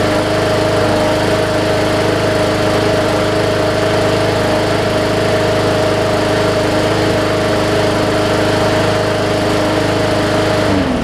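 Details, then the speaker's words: Second Hyper Tough Briggs and Stratton OHV push mower with plastic carb, sat over winter, still on its original old fuel; started right up and runs smooth and even with a steady hum and no misses or knocks, then shuts off. "started right up i can't tell you how many times i have seen that issue and i just wanted to share it with y'all"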